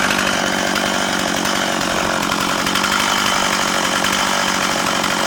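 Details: Older, little-used Stihl 036 Pro chainsaw, 20 in original bar and chain, 150 psi compression: steady, even high-pitched two-stroke howl holding speed without misses or surging; runs healthy and strong.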